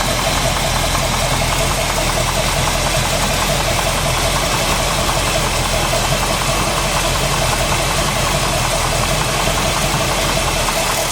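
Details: Freshly built SBC 350 (aluminum 64cc heads, 10:1 flat-top pistons, Edelbrock intake, 600cfm carb), idling in gear, likely out of tune: dull even knock under exhaust. Pulling each plug wire didn't stop it; owner suspects piston slap or flexplate, occasional carb tick.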